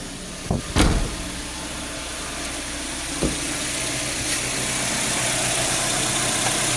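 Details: 2003 Nissan X-Trail T30 petrol engine, previously stumbling with a check engine light, idles steadily and evenly after the ignition coil and spark plug were replaced, with a couple of handling knocks at the start.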